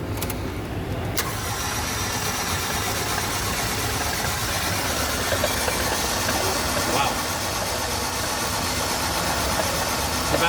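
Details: Flooded engine with the spark plugs removed and cylinder 3 or 4 found wet, cranked outdoors: fast, light starter whirr with no compression pulses as the fuel is cleared out.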